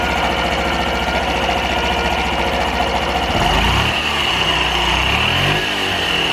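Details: Honda Super Cub 50 FI AA04 parts bike, recall work done; small single ticks over at steady even beat, then blips smoothly, no knocks or rattles: normal idle.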